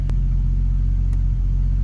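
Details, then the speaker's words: 2005 Chevy Trailblazer idling with a slight stumble; misfire on cylinder two persists after new spark plugs and a parts swap. "yep it's still misfiring well that did not take care of the problem"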